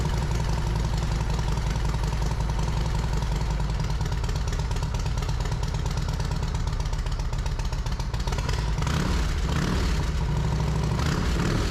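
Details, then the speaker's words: Yamaha Road Star Silverado 1700 V-twin after fitting new OEM ignition coils, plug caps, wires and spark plugs, slightly cold: even loping choke idle, both cylinders firing cleanly, no misses; normal idle. "had the choke all the way off there bike's still slightly a little bit cold for that but the bike seems good"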